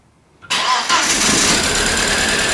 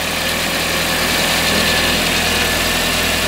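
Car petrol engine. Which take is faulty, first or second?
first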